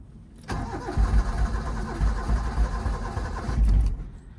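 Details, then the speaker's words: 1986 Suzuki Mighty Boy with a coolant leak, on a not-very-cold day after a couple of gas pedal pumps: low, lumpy starter churn for about three seconds that never catches. Hard starting, cause unknown. "uh it's already giving us issues so let's start it it should take a while actually but it's not that cold out maybe start give it a couple pumps"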